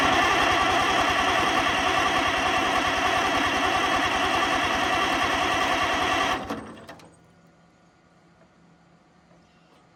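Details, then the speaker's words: Oliver 88 row crop tractor sat 20 years, after cleaning grounds and rebuilding carburetor (fuel now present): steady cranking about three and a half beats a second for six seconds, never catches; owner suspects no spark; cranks but no start. "all right okay i'm gonna say no spark so here we are on the other side that looks pretty rusty and that voltage there what are the chances let's check"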